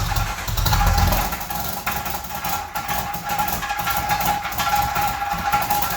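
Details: 1995 Jeep Wrangler YJ, first start in years after new fuel pump and filter replaced a shot pump and rotten gas: engine catches and settles into a steady idle with a faint whistle on top, no knocks or misses; normal idle.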